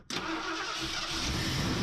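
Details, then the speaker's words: 1979 Lincoln Continental V8, first start after 6 years sitting, just fitted with a new fuel pump and a swapped Dura Spark ignition box, with oil pressure on the starter: quick crank, catches cleanly and settles to a steady, even idle, no misses or knocks. Healthy engine start. "We got a runner. A, she sounds good."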